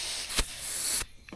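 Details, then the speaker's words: Blow-off valve pressurized with compressed air on the bench: a sharp steady hiss for about a second, then a clean cutoff. The diaphragm valve holds pressure; the air escapes at the hose coupler, not the valve. "It's leaking, but it's leaking from this my um coupler thing here."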